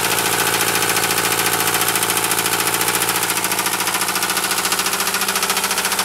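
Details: Mercedes 220D diesel run low on engine oil: heavy, steady metallic rod knock on every revolution over the diesel clatter.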